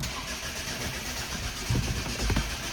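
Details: 2011 Ford Focus turbodiesel: starter turns the engine steadily for about three seconds with a couple of louder catches, but it never fires. Cranks, no start; fuel supply suspected, not confirmed.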